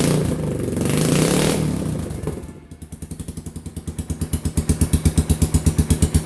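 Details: Yamaha Kodiak 450 ATV rebuild running on a third replacement CDI unit: after some unrelated noise, steady single-cylinder thump picks up evenly with light throttle blips, still cold and not yet warmed up but running cleanly.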